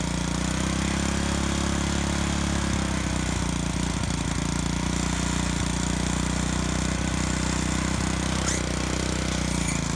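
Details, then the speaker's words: Moto-Mower tiller repowered with a trash-picked Honda GC160 5 HP OHC engine, still slightly cool, tilling soil: small engine chugs under load with brief scratchy chirps as tines hit hard ground; the loose drive belt slips, not tightened. "for this machine it's still a little bit cool but you'll hear a chirp and that's the belt and it slips a little bit when it hits uh hard things and stuff"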